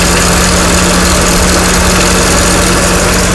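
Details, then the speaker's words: 1987 Corvette A/C issue with pressures rising to compressor cutout: loud, steady rushing roar with constant low hum as the electric cooling fan kicks on only once the switch is disconnected; cause suspected, not confirmed. "Now what's interesting is when I disconnect this switch, the fan will kick on."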